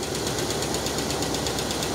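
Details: 1969 Cadillac Eldorado V8 with 21,000 original miles, first start after about 15 years in storage once a fuel pump was hooked up: even, smooth idle with a light ticking top end and a steady note; starts easily and sounds healthy.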